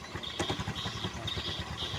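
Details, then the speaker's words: Newly bought Honda Vario scooter at idle: irregular loose clatter from the CVT side, worse when the rear wheel is held, gone when riding; clutch dragging, damaged, not freeing at idle. "Ini seharusnya normalnya itu motor saat stasioner itu tidak begini ya teman-teman dan ketika saya lepas ini dia mulai timbul ada suara ya di sini"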